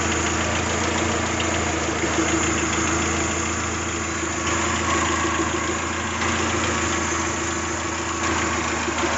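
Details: Toyota 3S-GTE petrol engine idling steadily with a light, fairly regular tick-rattle on top, about three or four a second.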